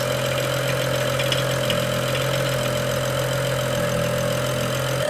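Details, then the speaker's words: BMW E92 335i, N55 engine, after valve cover and gasket replacement (done for a squeal believed from the PCV system), restarted after fuel pump priming: smooth, even idle, steady tone, no ticking, knocking or misfire; sounds healthy, normal idle. "Looks good to me. Just gonna go ahead and shut it off now and put everything back together."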